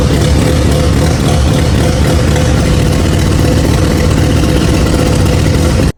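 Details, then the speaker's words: Barn-find turbo Mazda RX-7 rotary, first start after 25 years on a rebuilt engine: a loud, deep, uneven drone that lumps and wavers, engine shaking, with a turbo oil-feed banjo bolt leaking; running really rough. "So, it started, and it actually was running pretty decent. But the motor was not too happy. It was shaking like crazy, uh running really rough."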